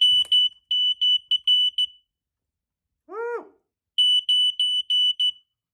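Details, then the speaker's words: Loud high-pitched smoke alarm beeps in bursts of four to six, pausing and repeating, set off by exhaust smoke from an old Tecumseh four-stroke edger engine running after carburetor adjustment. "oh that's the smoke alarm foreign"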